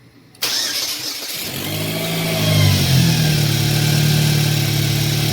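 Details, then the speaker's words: 2008 Chevy Cobalt after timing chain, water pump and cracked exhaust manifold replacement, cured earlier crank-no-start from jumped timing, new belt: catches at once, climbs briefly, settles into smooth even idle with no knocks or ticks; normal idle. "So, this is the same engine, same alternator, same everything. All we did was time and change and then replace the manifold. Burns like a kitten."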